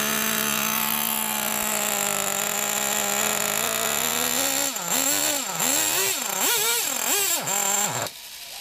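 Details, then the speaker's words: Nitro RC monster truck engine (Traxxas T-Max or HPI big block), started after 10–15 years of storage, a little cold: high steady buzzing idle, then quick throttle blips with pitch rising and falling cleanly before it cuts; runs fine. "fuel must still be good little bit cold nature of these engines are"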